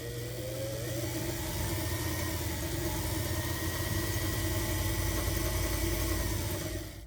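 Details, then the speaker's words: Singer 328K sewing machine motor at full speed as the adjusted bakelite pedal plates touch: the hum climbs, then holds a steady, even whine with no catching or surging. The pedal repair fixed the jump from 0 to full speed. "And as I compress them further, and pretty soon I'm going to touch those plates and get full speed."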